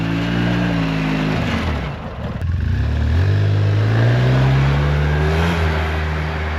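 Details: 2008 Polaris Sportsman with tracks on a very cold day, after installing a new fuel pump sending unit for a flashing-screen fault: picks up cleanly with a smooth rising note under throttle, settling into an even run; sounds healthy.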